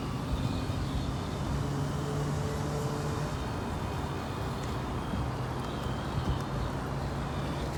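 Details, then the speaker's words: Traxxas TRX-4 RC truck after greasing a dried-out transmission: smooth, even motor and gear hum with the earlier ticking gone; now running normally. "okay so here it is now look like it's silent now i think it's just needs some grease inside now it's okay no more noise like it's normal already"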